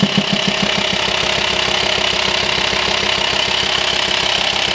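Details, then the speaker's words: VW T5 Transporter 2.5 TDI at idle: a steady ticking knock at about three per second pulses over the diesel, with vibration felt at the airbox hose, which sucks in when disconnected. Worn camshaft and lifters, some holed; the fix is a new camshaft and lifters. "if you have a knocking pulsing engine sounds coming out of your Volkswagen T5 2.5 TDI you hear it Knocking the way you feel it you feel it mostly you feel the vibration from the hose to the air box and when you disconnect the hose it's obvious it sucks in there so"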